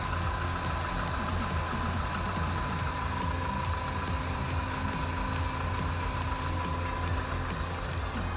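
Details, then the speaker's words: 1984 Toyota Hilux 4x4 just after new spark plugs and fuel filter, idling cold: low steady idle holding its beat with a faint even hum, no stumbling; previously it idled badly and shut down. "very good I'll just let it idle for a sec it used to um not idle for very long and then it would shut down so we'll see if that happens"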